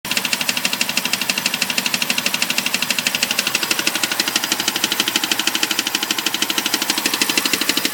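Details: BMW 545 V8 at idle with a fast, steady, sharp clicking riding over the engine at an even rhythm. Cause unknown.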